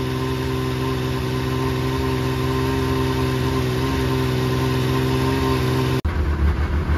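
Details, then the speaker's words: 2005 Yamaha Vector snowmobile with a factory clutch rattle, running with the clutch removed: steady, even hum with the clanking gone, smooth and quiet, with slight echo inside a trailer. "you can hear the clankings gone now runs nice and smooth nice and quiet"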